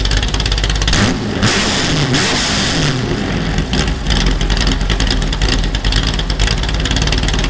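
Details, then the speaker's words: Superformance GT40 replica V8 after replacing the failing starter and solenoid with an upgraded starter: strong, even cranking catching quickly into deep steady rumble with clean revs; normal cranking and start. "well theoretically we're done need to clean those headers let's crank it over and see what happens"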